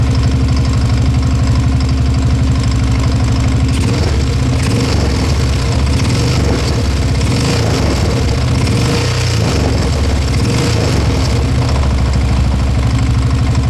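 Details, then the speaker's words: Rough idle with a heavy, regular deep knock under the single-cylinder exhaust beat on a 1987 Yamaha TT600 unrun for 20 years; carb rebuilt, oil changed, valves adjusted; starts and runs fine but bottom end suspected worn, needing rebuild. "Starts fine, runs fine, but it's got a very nasty knock in that bottom end. I believe it's knocking big time."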